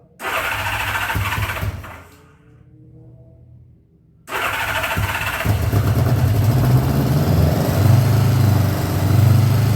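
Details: 1979 Honda GL1000 Goldwing, first start after carburetor rebuild, no choke: cranks, catches, dies, restarts into a lumpy, uneven burble that never steadies, smoking from one side. Owner suspects carbon buildup or bad seals fouling plugs; not confirmed.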